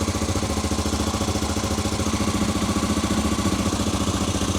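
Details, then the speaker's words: Honda Africa Twin after rebuild, with the rear cylinder temporarily reconnected: an even, steady putter at idle with no misses, both cylinders firing. This was temporary, running on fuel forced into the carb. "That sounds nice. And that is definitely both cylinders."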